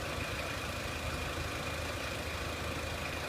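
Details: 2003 Renault Clio 1.6 petrol, intermittent stalling traced to loose crank sensor connector (sensor good), crank sensor being scope-tested; even steady idle, smooth constant hum, no stumble, miss or hunting; normal idle.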